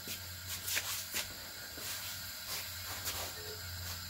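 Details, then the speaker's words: Honda Prelude H22 2.2L spare engine, cylinder 1 OTC leakdown test at 60 psi: steady airy hiss with handling knocks heard at the intake, nothing at exhaust, upper hose or dipstick; air escaping past leaking intake valve. "see if there's coming there nothing dipstick nothing so it sounds like it's coming from the intake"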